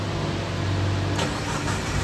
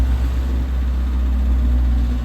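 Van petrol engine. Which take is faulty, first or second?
second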